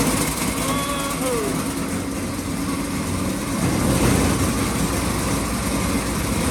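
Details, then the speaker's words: 1926 Ford Model T Roadster with a generator motor, battery recharged after the key was left on overnight: chugs unevenly with some clatter and rises slightly in speed; running, though the throttle is laggy and finicky. "oh this thing's running boy it's lighting up i might drive it right quick come on i got it's running the throttles are a little finicky but let's see what it'll do"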